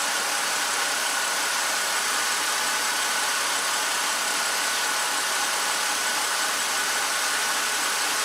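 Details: 2007 BMW X5 engine warm, thermostat open, after electric water pump fix: steady hiss-heavy idle with no knocks, surges or dropouts; pump now holds speed instead of dropping to zero, cooling fan duty cycle being checked.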